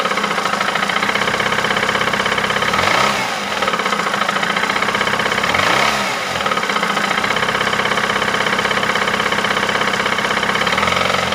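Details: 2008 Ford Mondeo Mk4 2.3 L engine, 203,000 km: steady rapid tapping at idle, about four per second, unchanged through two quick throttle blips; unexplained internal engine knock, source undetermined.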